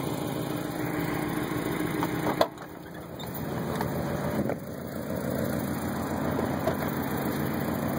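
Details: 1990 Mazda Miata idling at spec but low and uneven, with irregular pulses, lumpy firing and a couple of handling knocks, the whole car and motor rocking back and forth; rough idle, owner suspects a possible crank problem.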